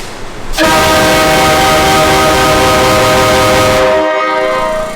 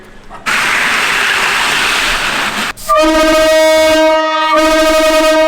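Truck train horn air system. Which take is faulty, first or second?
second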